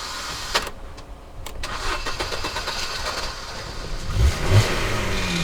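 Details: Cheap used first car that had been making weird noises from the boot: uneven cranking churns for a couple of seconds before the engine catches and revs up; slow, reluctant hard start, cause unknown.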